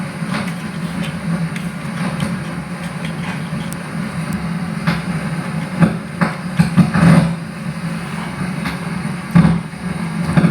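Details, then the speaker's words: Amplifier with equalizer, no music playing: irregular sharp crackles and pops over a steady low hum in the speaker; noise comes from the two-pin supply feeding the equalizer's front indicator lamps. "pernah mengalami amplifiernya mengeluarkan suara seperti ini di saat musik tidak ada"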